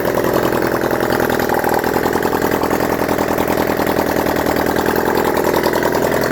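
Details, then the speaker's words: Honda CD175 single after rebuild and timing set, running without exhausts, fed from a leaking fuel bottle: loud rapid open-pipe putter at steady idle, keeps running evenly; normal idle. "I'm over the moon the cd175 is now running"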